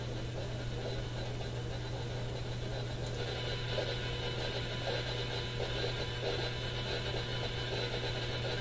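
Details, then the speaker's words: AM radio scanning the broadcast band at home: steady buzzing hiss, low hum and pulsing crackle swamping stations even in quiet spots, stronger than local stations; source unknown, smart power meter suspected. "And you can still hear it, even in the quiet spots. How about right here? None of these are regular radio stations"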